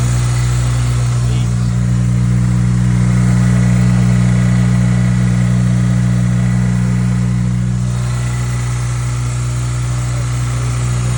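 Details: Acura RSX K24A2, first start after new thermostat, knock sensor, throttle body adapter and cleaned IACV and throttle body: smooth deep idle holding steady with brief gentle rise in speed, no misses or knocks; running better, healthy.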